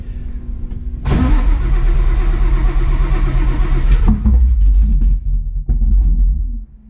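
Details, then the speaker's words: Widebody Fox body with supercharged cammed Coyote, cranking fast on a jump box: uneven chuffing pulses almost catch, then die, a stumbling no-start. Owner suspects the ignition timing is off and that it needs more fuel; it has 775 injectors. "it's so close but it sounds soing Rowdy I think uh the timing maybe ignition timing is weird I don't know but it also seems like it needs more fuel"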